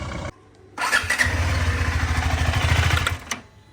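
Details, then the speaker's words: KTM 390 Adventure single just fuelled: fires up with a lumpy, uneven beat for about two seconds then dies abruptly, error shown, cause unknown to the owner; engine stalls after starting. "ಡೈರೆಕ್ಟಾಗಿ of ಆಗ್ತಾ ಇದೆ ಗಾಡಿ ಏನಕ್ಕೆ ಅಂತ ಗೊತ್ತಿಲ್ಲ ಏನು error ನೋಡಿ"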